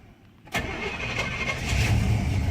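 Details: 1967 Pontiac Bonneville V8, unrestored original, about 132,000 miles, accelerator stomped twice: quiet, quick crank, catches, settles into a rumble and pulls up smoothly on throttle; normal cold start and rev.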